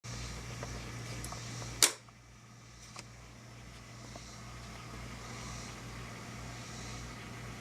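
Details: Wurlitzer 528 tube amplifier (for a Model 1700) hissing on warmup: steady airy hiss over low mains hum with one sharp click; hiss disappears when the 6J5 oscillator tube is removed.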